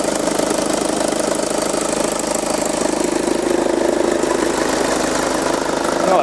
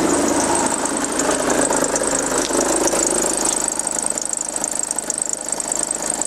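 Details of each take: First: VW Passat B6 2.0 TDI idling after the ribbed accessory belt fault that caused an odd engine noise was found and fixed: smooth, even idle with no squeal or chirp. Normal idle after repair. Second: 2009 VW Passat B6 2.0 TDI, high mileage, timing belt changed about nine months earlier: a diesel idle with rough fluttering chatter and a high hiss; spraying the ribbed belt changed the noise, so the belt or a bearing is suspected.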